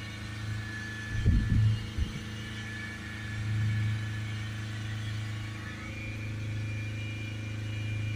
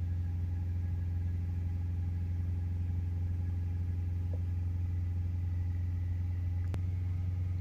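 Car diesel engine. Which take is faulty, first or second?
first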